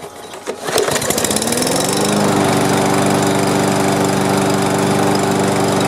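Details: A free push lawn mower with possibly old gas, re-cranked after its overfilled oil was drained down by about 4 to 6 ounces. It catches within a second and settles into a strong, even run with no miss or knock. Sounds healthy.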